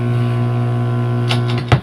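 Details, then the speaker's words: Platinum 32GB piano-model videoke with humming, crackly mic: steady low hum with buzzy edge while mic plug sits in jack, then plug clunks; blockage suspected inside the mic jack as a cause of the hum. "rinig niyo maugong kaya Aayusin natin ang kanyang Ano ang kanyang EO mic mic sa kabila dito saksak ko sa kabila may bara baka isa ito sa dahilan na umuugong siya"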